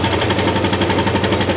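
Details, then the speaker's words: Vehicle at a dealer-only auto auction, brand-new battery, no gas in it: steady, even starter cranking chugs without a single catch or firing; the engine turns over but won't start. "No gas in it. That's crazy though. At least it cranks."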